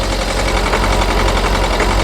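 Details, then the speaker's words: Ford Focus 1.6 TDCi diesel held at just over 1500 rpm runs rough with an uneven, stumbling misfire. An injector problem is suspected; unplugging injector 1 changes nothing while unplugging the others does, so cylinder 1 is suspect. "Okay, and I've got this with it at about just over 1500 RPM, okay? And then we've got quite an aggressive misfire."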